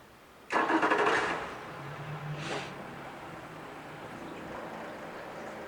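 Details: 2014 Yamaha 50hp high-thrust 20in remote outboard with new plugs, impeller, filters, oils and serviced fuel system, run on a water tank: cranks briefly, fires within a second, settles to a smooth steady low idle with no misses or knocks; normal start and idle.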